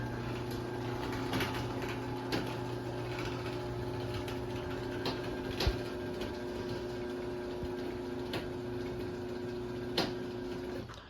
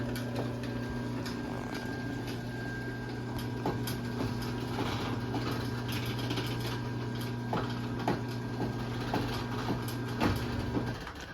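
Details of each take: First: So yeah, you can kind of hear the popping noises that it makes, but it is pretty quiet though. At least the motor is. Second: LiftMaster 8587WL chain-drive opener running on a rail on its large sprocket, with the chain set slightly tighter than usual: a steady, quiet motor hum with faint, uneven popping from the chain. Cause not identified.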